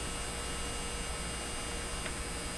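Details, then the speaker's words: 1957 Chevy Model 561 car radio on a 12-volt bench supply during low-volume repair; steady, even vibrator supply buzz, no stall on startup this time, stronger vibration than before, running normally. "feels like it's vibrating a lot more feels like there's more vibrating power in it is that a good thing"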